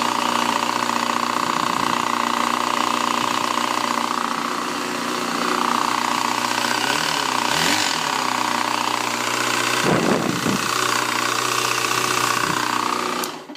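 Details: 2007 Yamaha FZ6 running with a fast, uneven metallic ticking. A manual cam chain tensioner, corrected valve shims and a new oil pump chain didn't fix it. The cause was a clutch piece wedged between the crank and clutch basket gears, making them chatter; the engine was replaced.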